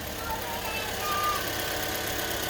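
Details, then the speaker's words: Suzuki Swift engine idling smooth and even, no stumbles or knocks, after injector seal work with mass airflow sensor reconnected; best it has run, lower injector seals still to be replaced. "oh nice and smooth nice and smooth and that's with the mass airflow sensor as well and she's purring like a kitten"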